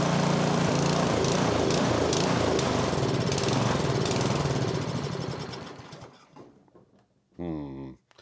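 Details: MTD snowblower, 2–3 years old with about an hour of runtime, started at half throttle with choke: fast choppy put-put fades and dies after about six seconds, then briefly restarts; suspected fuel starvation from low fuel or a plugged pilot jet.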